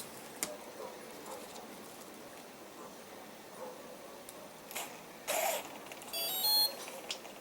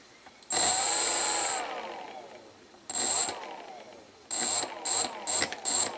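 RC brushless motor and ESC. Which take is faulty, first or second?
second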